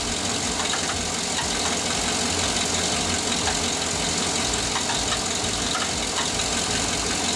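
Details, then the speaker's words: 2007–2014 Cadillac Escalade at idle, heard while topping off the radiator: a light, quick ticking knock a few times per second over fan hiss; a stethoscope traced it to the inside of the alternator, not the water pump, so a bearing is suspected. "So I took out my stethoscope and I figured out the knock was coming from my alternator. The noise was coming from the inside of the alternator."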